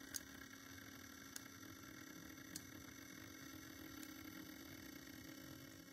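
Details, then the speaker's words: Broadway Limited Paragon 4 brass hybrid model steam locomotive: quiet motor hum with sharp metallic ticking about every second from the front driving wheels, heard as power drops to the capacitor; source not yet isolated. "do you hear all that clicking in there right before the power died that is coming from the front it's coming from the driving wheel somewhere I can't quite tell I haven't isolated it"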